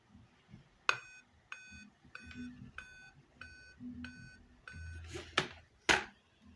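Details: Dell Inspiron 3531 laptop failing to boot: short high beep repeating about every 0.6 seconds, with some handling clicks; RAM removal and swapping and a 30-second power-button hold did not help, no visible board damage, cause unknown.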